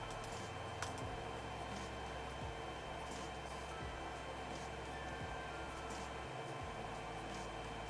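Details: Creality Ender 3 Z axis after applying Super Lube grease to the Z lead screw, gantry raised and lowered: quiet, even motor hum with no squeak or chirp; Z rod binding squeak fixed, normal travel.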